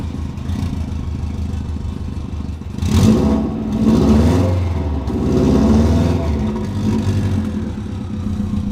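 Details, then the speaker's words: 2002 Subaru WRX, first start after refuelling, some spilled coolant smoking: uneven revs surging and sagging over a lumpy idle; rough running from an air leak past a badly fitted blow-off valve. "she doesn't run perfectly because the blow off valve doesn't even fit like we said before it's messed up"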